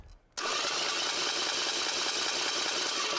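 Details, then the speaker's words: Bench-mounted starter spins up into a steady, hissy high-pitched whine, meaning the pinion sits too far from the flywheel; the fix is removing shims to move it closer. "hear that high-pitched whine? Well, that high-pitched whine means that the starter's actually too far away from the flywheel."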